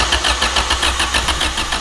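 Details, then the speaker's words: Honda CRX with swapped-in B18 engine and RSR header, fuel primed, first crank to move oil without firing; steady even cranking with quick regular pulses about six a second — normal cranking. "Yes, okay. Crank her, get some oil moving in the engine."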